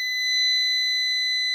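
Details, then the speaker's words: New PowMr 3.2 kVA / 3000 W inverter, control board powered from USB on the bench, gives a steady piercing beep of about 2 kHz. It beeps again each time USB is reconnected; an external memory fault is suspected. "а дивіться в чому прикол змикаю Я від юсбішки пла а А вона пищить"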